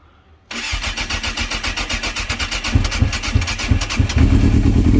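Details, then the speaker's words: Yamaha YZF600R Thundercat with 87,000 on the clock, hard to start, carbs needing adjustment, cold start on full choke with idle screw wound in: catches after a long crank and runs lumpy and uneven on choke; hard starting, cause suspected, not confirmed. "So there's a couple of issues with my Thundercat. It doesn't like starting. There is a real knack to it"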